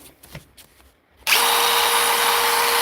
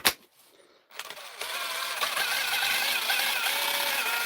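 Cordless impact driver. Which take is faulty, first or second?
second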